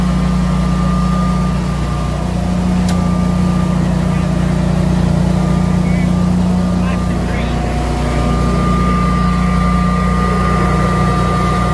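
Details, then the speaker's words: Newly installed Generac whole-home standby generator, startup test under a simulated power outage: steady, even low drone like a lawn mower, with no surging or misses; running smoothly. "So, ready? Yep. [Music] Sounds about like a lawn mower. Yeah. I couldn't [Music] hear it."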